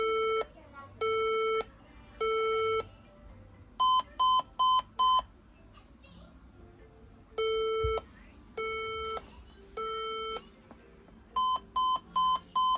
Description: But I heard 3 long beeps sound. Its means computer beep but no display.